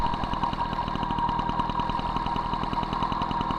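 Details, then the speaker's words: MBK 51 Magnum, stock engine, Dellorto PHBG 15 BD carburetor with 68 main jet, idle mixture screw being adjusted: rapid, even popping at roughly a dozen beats a second with a thin whistle above. Poor idle from the mixture screw setting. "le régime ralenti c'est pas bon je resserre donc sur moins de tours à rien"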